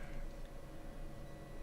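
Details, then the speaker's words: 5050 warm white LED strip lighting on a dimmer, dimmed: faint steady high-pitched whine over quiet room hum, noise from the dimming circuit. "you'll notice you might actually be able to hear it there's a nice whining noise with the dimming which is a rather unfortunate"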